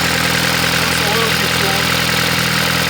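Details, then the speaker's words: MK6 Jetta GLI, 250,000 miles, timing chain found badly stretched: rough idle with a quick, fairly regular ticking about three per second, upper-end lifter noise; owner also suspects a fuel issue. "it's definitely got some upper end noise but it runs got got some lifter kicks might go"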